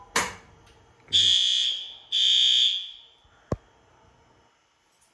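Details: Fire alarm test in a school built in 1958, horns set to high volume, quiet furnace room: two loud, even, high-pitched horn blasts about a second apart; horn sounding normally.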